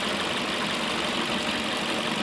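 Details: 2005 Toyota Corolla, warm at idle after fixing vacuum leak causing lean code: even steady tone, no hissing or hunting; closed loop, fuel trims relearning, intake sealed.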